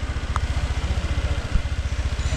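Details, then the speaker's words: Old-body Honda PCX scooter, first start after engine rebuild fixing a previous crank noise: even soft putter at idle, no knock or rattle; normal quiet idle. "zaten hondaların çalışma şekli sessiz bir şekilde çalışır görüyorsunuz hiçbir sessiz"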